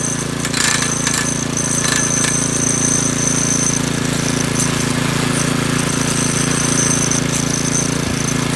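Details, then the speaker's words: McClane 3.5hp edger with Briggs & Stratton engine, after a carburetor tune-up, oil change and fresh fuel following years of sitting, started cold. A steady, even single-cylinder buzz holds speed while cutting, with no misses or surging. Runs well and cuts a nice line. "well this edger actually uh runs pretty good and cuts a nice line and everything so i think we're just gonna get this thing cleaned up quick and wrap this video up"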